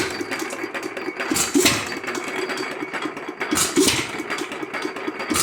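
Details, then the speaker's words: Lauson 2hp hit-or-miss engine, first run after cam gear replacement following decades of rust: slow uneven firing beats with quiet coasting gaps; starts easily and runs well. "all right everybody we forgot to document very much of it but by golly the old Lawson"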